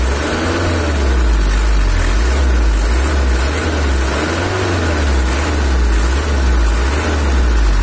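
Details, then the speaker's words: Toyota Hiace LH11 diesel 2L idling after injection tuning: low idle with slow wavering pulse and shake that won't even out; uneven nozzles or camshaft suspected, not confirmed. "tapi ada suara kayak bubuknya gitu, atau bisa jadi dari nozzle ada yang kurang abot. Ini suaranya udah renyah lagi. Sepertinya noken asnya atau nozzle-nya kurang rata, ada goyangnya, ada sedikit ginjal."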